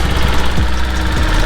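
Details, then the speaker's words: Zuma scooter at about 9,900 miles, after adding oil and fitting a new exhaust and gasket: low, even putter at steady idle with no knocks or rattles; engine healthy. "it's actually really quiet so I think this motor's good"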